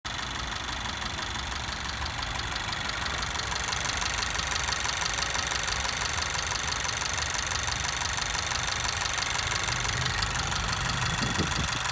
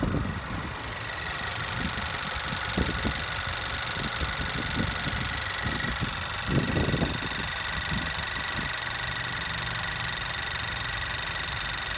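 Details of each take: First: 2017 Honda Civic Si, 600 miles, direct injection, 93 octane: fast, sharp ticking over the idle from new, getting louder as rpm rises; owner suspects something loose, cause unconfirmed. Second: New 2017 Honda Civic Si engine, under 50 miles: smooth quiet petrol hum staying even as rpm rises, no ticking or knocking; the comparison car is noisy.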